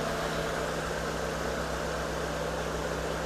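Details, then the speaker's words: 2010 Hyundai Avega GX idling after an oil change with a new oil filter, running Prestone engine flush: an even, steady hum with a soft regular pulse and no knocks or ticks. Smooth normal idle. "Nah, ini filter baru ya. Filter baru ini teman-teman. Suara mesinnya suara mesin khas SOC."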